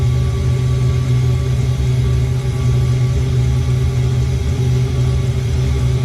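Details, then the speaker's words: Old Eberspächer D1L air heater from a sailboat, first start in years with new glow plug and clean fuel: pump ticking as flame builds, then constant deep roar without sputtering or cutting out; lit and burning properly. "You can hear the pump is starting to make a ticking noise, and it's building a flame."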